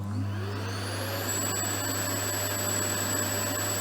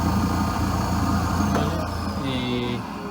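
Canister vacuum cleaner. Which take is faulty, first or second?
second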